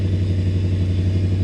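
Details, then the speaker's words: Toyota 1UZ-FE V8 swapped into a Land Cruiser: low lumpy idle with uneven stumbling pulse, some cylinders not firing; timing roughly right. "nous avons du travail je ne suis pas sûr d'avoir bien compris mais nous avons globalement raison donc le timing est à peu près correct"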